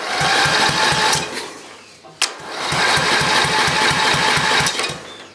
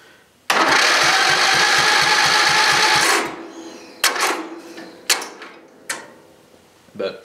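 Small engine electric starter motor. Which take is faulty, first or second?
second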